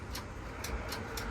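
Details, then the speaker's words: Jeep CJ7 with an ignition fault: a handful of sharp, separate clicks in under two seconds with no cranking. The ignition cylinder checks fine, and the ignition switch on top of the column under the dash is suspected bad but not confirmed. "So now I gotta go under the dash and figure out if the switch is bad. You can hear it like clicking, like it's engaging."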